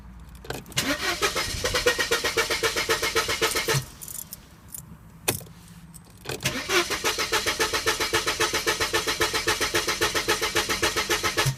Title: Car won't start